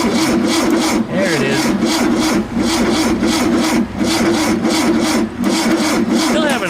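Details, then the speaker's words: VW Super Beetle air-cooled engine cranked after reassembly: starter labours in slow, uneven strokes with a rubbing groan and no start. The owner is unsure whether the battery is weak or the starter is slow; the battery is left charging. Slow cranking. "a little trouble cranking over though I don't know if the battery is just sluggish or if the starter is just slow"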